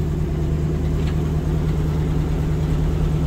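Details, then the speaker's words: 1980 Ford LN700 truck, 370 big-block V8 four-barrel, 35,000 original miles, sat for years: smooth, deep V8 rumble at steady idle, hitting on all eight, no misses or knocks; a bad exhaust leak is present. "it's hitting on all eight it's got a bad exhaust leak which I saw when I looked at it last week"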